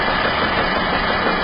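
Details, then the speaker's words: 2009 Nissan Rogue SL AWD on a hoist, in drive at idle: heavy uneven rumble, banging and shudder, with the oil pan shaking; the driveshaft center support bearing shakes visibly. Failed driveshaft center support bearing. "You can hear it banging away like crazy. Now I get closer, you can get an up-close view of how much it's shaking. And here's the axle cap. And there you can see the center support bearing."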